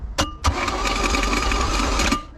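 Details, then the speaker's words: Boat engine with a Rochester carb, found full of water with milky oil, on its first crank after the starter was installed: a steady starter churn with a thin whine for about two seconds, turning over without firing. "Got that starter in. Let's hear this first crank."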